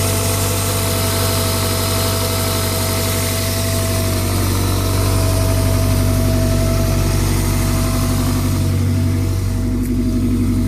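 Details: Toyota 1ZZ-FE petrol engine idling: thin, steady mid-pitched whine over the low engine hum, seemingly from the belt area; cause not yet found.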